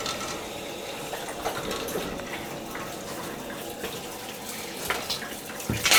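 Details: Gas hot-water boiler, second floor zone, after a pipe repair with couplings, turned on to check for leaks: steady hiss and rush of water with light splashing as lines refill, even flow, no knocking or hammering. Normal fill.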